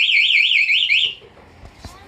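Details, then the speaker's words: 2020 Honda Beat with newly installed anti-theft alarm, triggered by remote: loud high warbling siren rising and falling about a second then cutting off while the engine is cut; anti-theft alarm siren. "Jadi kalau misalkan ada apa-apa di jalan itu nggak usah panik pencet aja nanti alarmnya bunyi dan motornya mati kalau udah aman baru kita pencet gembok kebuka"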